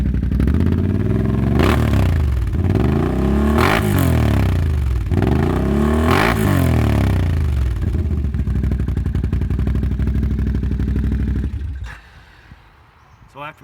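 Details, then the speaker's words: 2016 Can-Am ATV with Attitude Industries fuel tuner on stage one: revs up and down in even pulls with steady beat, no knocks or misfires, then shuts off; not running hot, no heavy black smoke; normal running. "it doesn't seem to be running too hot not getting a ton of black smoke or anything like that out of it it starts up sounds pretty good"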